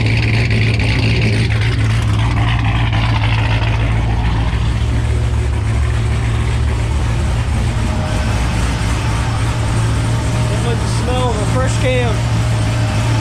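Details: V8 blower engine idling after a new TSP blower cam swap on a new tune: a deep, loud, lumpy idle with a choppy pulse and no knocks or squeals. A normal cammed idle.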